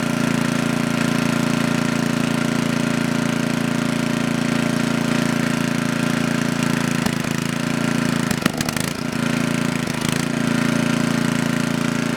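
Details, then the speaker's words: Coleman Powermate Maxa 5000 ER generator on half choke, powering a 110V light. Buzzing drone with brief stumbles and dropouts, unable to hold an even idle; a carburetor cleaning or adjustment is suspected to be needed. "Alright, from what I can tell, there's nothing wrong with this machine, other than it needs a good carb cleaning, because it cannot stay running unless it has a backflow issue."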